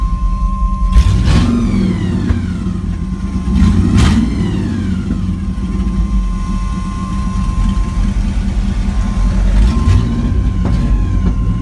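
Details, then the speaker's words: LS-swapped truck during tuning, rough idle with a few blips and a thin steady high whine; transmission whine. "so that's the video i was talking about where you can hear the whining pretty good"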